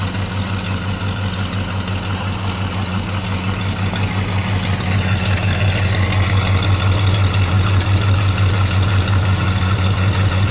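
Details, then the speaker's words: Plymouth Valiant cold start at 35 degrees: steady, slightly lumpy cold idle, about three beats a second, running rich because the choke still needs fine tuning. "right she's running I still have to do some fine tuning on my choke it's still kind of Rich you hear the way it sounds there"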